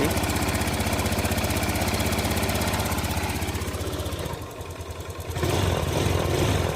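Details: Honda Beat F1 single-cylinder scooter idling right after valve clearance adjustment, magneto cover still off; steady, even beat about four per second with no valve-train tapping, running clean.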